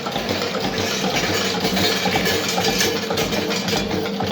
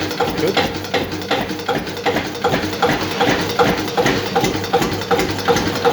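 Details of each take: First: Old Witte single-cylinder diesel engine restarted after breakdown, after injection timing adjusted; slow even low thumping at very low idle around 200-250 rpm, no stumbles or knocks, running smoothly. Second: Witte single-cylinder diesel engine at very slow idle: slow regular thump with a sharp knock on each firing, nearly three beats a second; diesel knock, injection timing suspected slightly too advanced.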